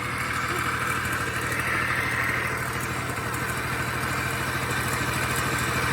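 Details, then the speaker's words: Honda Spree scooter (1986 frame, 1985 two-stroke motor, 1987 head) after swapping its plugged muffler for a known good one, with a known good carb. Even, steady putter at idle with no stumbling or dying; problem solved. "problem solved that's definitely what the problem was is that muffler is plugged up"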